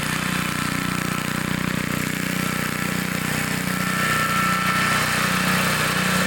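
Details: 1960s Bolens 28-inch Lawn Keeper mower, unadjusted carburetor, untouched at least 15 years, cutting grass set low: steady, even single-cylinder thrum holding constant speed, no misses or surging; healthy normal running under load.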